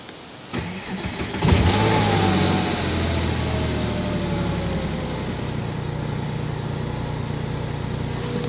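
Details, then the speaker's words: Porsche Boxster S, on startup: engine fires and revs up, then a brief metallic rattle over the fast idle for about two seconds before settling; source unclear, possibly normal startup rattle for these cars. "it doesn't sound terrible that's what I will say it's hard to obviously determine what the noise is once that rattle has gone away after 2 seconds or so"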